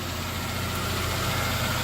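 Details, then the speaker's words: Ford Crown Victoria Police Interceptor with no transmission fluid: lumpy, uneven idle stumbling before cutting off, running barely and smelling of too much fuel; rough running, likely misfire. "the Vic is running like [ __ ] like absolute [ __ ] I mean it's running but barely stinks like way too much fuel"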